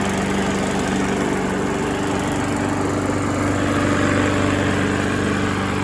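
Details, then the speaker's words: Previously seized Briggs single-cylinder small engine after being freed and treated with engine restore: runs at a steady, even beat with no rod knock. Seizure cause unknown, possibly low oil; the drained oil was pitch black. "so so that's not bad sounds good doesn't sound like there's any rod knock or anything so i think the motor is fine"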